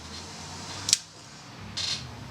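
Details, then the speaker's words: Yashica Electro 35 GSN with the two leads shorted, leaf shutter at top speed measuring about 1/326 s (around 1/290–1/300 on repeats): two crisp short clicks about a second apart, quiet room; normal firing. "I'm gonna fire again with the two leads shorted we get a three hundred and twenty six to the second"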